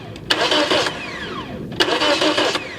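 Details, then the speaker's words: 2009 Toyota Matrix 1.8 L with a no-crank no-start complaint after an ECM replacement, starter fed 12 volts directly: two brisk, even cranking bursts winding down after release; starter is good, fault lies elsewhere. "okay so starter is good so the start is not the problem let's dig deeper"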